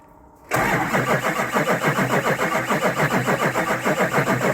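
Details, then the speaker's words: Duramax diesel after rebuild, first start once fuel primed to the injectors and rails: quick crank, then it catches and settles into a steady, even diesel clatter at about 3.5 pulses a second; normal start. "first start here goes oh man that's sweet right there you hear that oh man oh yeah all right so we're gonna let this thing get the operating temperature"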